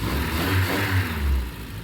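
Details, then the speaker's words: Triumph Spitfire with rebuilt engine on its first start, full compression, choke out, no cooling system: a low note rising and falling with throttle blips, picking up freely without misses or knocks; normal revving. "It's going. Choking. It revs up nicely."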